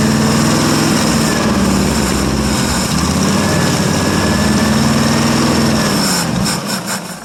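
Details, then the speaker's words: 1959 International B120 4x4 pickup, first cold start in about five years; petrol engine catches on fuel poured into the carburetor, idles roughly and dies within seconds; not pulling gas from the tank; runs only on poured fuel. "well guys you get that it does run I wish it would pick up gas of course not surprised that it's not pulling gas from the tank"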